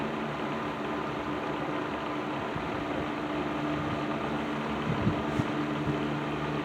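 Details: Patton 12-inch box fan, black Patton-branded Fasco motor, after servicing, low speed in a window: steady even whir, faint hum, slight rattle, no grinding or squeal; rattle much reduced from before, running normally.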